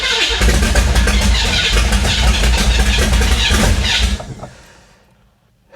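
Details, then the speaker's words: Flood-damaged 1966 Chevy Impala: strong even cranking about three beats a second for four seconds, then stops; starter healthy, engine struggles to stay running. "that starter sounds healthy though man"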